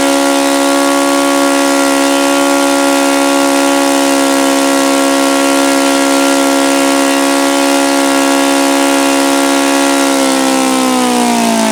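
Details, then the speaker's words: OS FS-alpha 110 model four-stroke glow engine, freshly reassembled after crankshaft bearing and connecting rod replacement, screams at one steady high note, then sags lower near the end; it falls well short of the review article's rpm figures. "this engine just absolutely positively cannot come close to the rpm figures in that review article"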